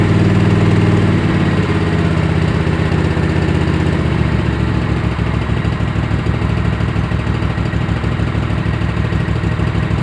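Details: Kohler Command CH18-CH25 V-twin on a tractor, running rich with a replacement carb: low steady thump at idle that sags and loosens after a few seconds, still slightly uneven rough idle.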